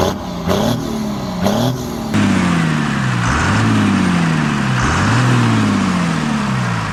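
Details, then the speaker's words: 1975 Dodge D600 diesel truck started after fuel pump adjustment (spring refitted, screw turned two turns for more power and smoke); runs evenly, revs up and down cleanly without misses or knocks, smokes when lugged; normal running. "at least it smokes now yeah and then when you lay into it and lug it a bit it'll just blast a bunch of smoke out"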